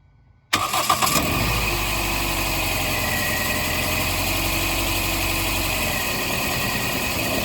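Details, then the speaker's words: 2001 Toyota Echo 1.5L 1NZ-FE, 283,385 miles, lacking power and shaking: cranks, catches and settles into an uneven, loping idle; thermal check shows cylinder 4 running cooler, a single-cylinder misfire. "As you can see, we have one cylinder that is running a little cooler than the others, and that would be cylinder 4."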